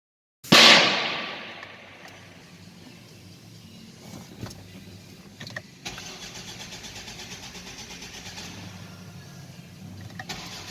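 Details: Volvo V70 with EGR valve problems: starter cranks on and on with a steady churning rhythm but the engine never catches; crank-no-start.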